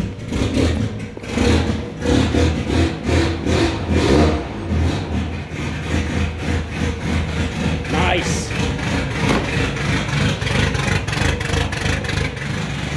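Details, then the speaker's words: Volvo with straight-pipe exhaust after timing belt replacement: loud, deep chugging idle, steady pulses with no tapping or misfire; starts and idles well, though crank pulley for V-belts looks warped. "so um it starts it runs it seems to idle quite nice"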